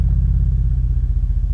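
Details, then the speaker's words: Miller and Kreisel V-2B subwoofer amp after replacing all failed electrolytic capacitors to cure a constant buzz: deep smooth tone down to under 10 Hz, clean with no buzz. "there's all the way down to 15 hertz and that's all the way down to under 10 hertz the thing sounds absolutely perfect"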